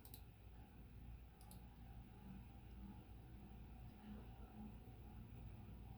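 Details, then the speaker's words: Envirofan Decorafan 48-inch ceiling fan model 448-N on a test rig with solid state speed control: faint steady hum and soft air rush, no ticking or wobble; running smoothly and quietly. "The main sound is that same startup sound that. That's the worst of it right there. Yeah, that's probably bedroom. There's a hum, but it's not terrible."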